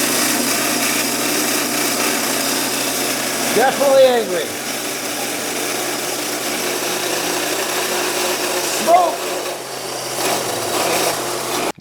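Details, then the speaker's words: 2006 Honda CR-V, engine-bay noise at start: loud, steady, harsh grinding roar with the engine labouring and bogging, smoke appearing; the AC compressor clutch has seized and drags the accessory belt. The power steering pump is also bad. "Compressor clutch. Now, the compressor may still be okay. It may just be the clutch that's wasted, but this clutch is certainly wasted. And this is the reason why the engine was bogging down and everything else."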